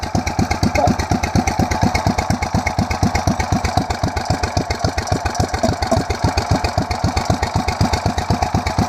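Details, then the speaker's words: 8hp mini bike just fitted with a 26mm Mikuni performance carburetor, choke off: steady, even single-cylinder putter at a settled idle with no misses, knocks or hunting. Idling fine, though it seemed to run a bit better with choke on. "Yeah, the choke's off, it's running. Let's see what happens. runs a bit better with the choke on, it looks like."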